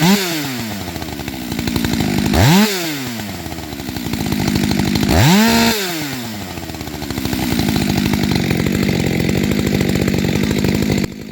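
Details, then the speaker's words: STIHL MS 400.1 M-Tronic chainsaw, revs falling slowly after throttle: three blips, each rise sagging back slowly over a second or more before settling. Idle set too high; owner fixes it by gently loosening the factory-glued idle hex screw to lower idle, set by ear. "Teraz skrutku jemne povoľujem a tým sa znížia voľnobežné otáčky."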